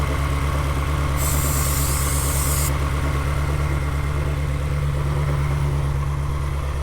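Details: Salvage-auction Ferrari V8, warm, idling with a lumpy, uneven pulse about three times a second; starting fluid sprayed around the intake manifold gaskets brought no idle change; misfiring idle.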